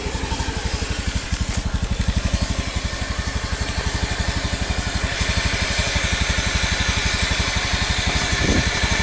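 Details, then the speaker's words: Honda Beat FI/ESP automatic scooter: steady buzzing drone like a swarm of bees over the engine beat, smooth at idle but growing clearer as throttle opens slowly, heard from left CVT and right side; worn crankshaft bearing needing replacement. "Kurang lebih seperti ini bunyinya, laker bagian keras. Ketika langsam suaranya itu halus, tapi ketika gas ditarik secara perlahan itu suara kemprengsengnya semakin jelas."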